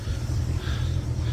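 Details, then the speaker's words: 2005 Bayliner 219SD boat, warm engine recently run, throttled up just a touch: steady, even low exhaust rumble with no knocks, misses or surges; engine runs very well, charging system fine. "Here, I don't know if you can hear the exhaust. But the engine runs very well."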